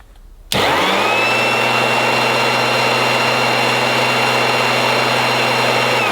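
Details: 1980s mains-powered Goblin Roto handheld vacuum cleaner with rotating agitator brush, switched on after fitting the inner bag: sudden start to a loud, steady motor hum with a high whine and even speed; very noisy but working normally.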